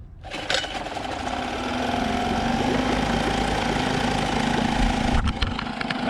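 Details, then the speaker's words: Outboard after carb jets cleaned and air mixture screw drilled and set: after a blip settles into steady, even low putter about four beats a second, no hunting or surging; normal idle. "finally idling right before like the screw for the idle was like I had taken off the spring and like had to Max it all the way out and it was like idling really high but it's finally idling at a low idle how it's supposed to the RPMs aren't going up and down which it was doing before RPMs idle are steady"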